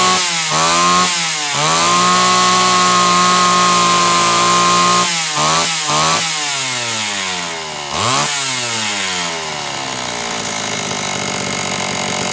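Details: Homelite Super XL chainsaw test run after starter spring repair and a bad new spark plug replaced; it was previously running lean: snaps up, holds a clean high rev about three seconds, drops back to idle; slightly rich on purpose.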